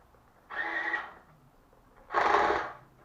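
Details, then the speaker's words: HL Toys SW HL 3058 RC bulldozer power scraper driven each way: two short bursts of harsh buzzing rattle from the toy gearbox; gear rattle from poorly meshing gears. "you'll hear the horrible rattling noise because the gears are not quite right"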